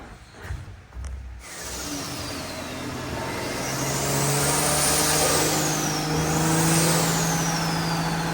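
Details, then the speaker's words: Nissan R34 on dyno, first pull on E85 at 14 psi with added top-end timing: engine climbs smoothly under full load with clean rising turbo whistle and no misfire; healthy pull, more power than on pump gas. "All right, so as a first pull with the 85, picked up quite a bit because we put some timing up top. Healthy on the 85."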